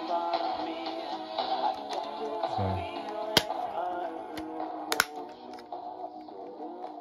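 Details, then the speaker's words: Matshima All Weather or Saisho PS 21 EQ portable cassette player playing music. The pitch sags and slurs downward as the tape drags toward a stop; speed drop thought not due to the belts but to a struggle turning the belt-driven disc. "so there's your volume control but as you can hear it's kind of slowing down but I don't think that's because of the belts and because I think it's because it's struggling to turn that disc that the belt is attached to"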